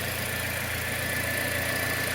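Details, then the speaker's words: 2010 Toyota Corolla at idle after replacing a badly worn, nearly broken serpentine belt: steady, even idle with no chirp or squeal, much quieter than with the old belt; normal belt operation. "much quieter with the new belts much"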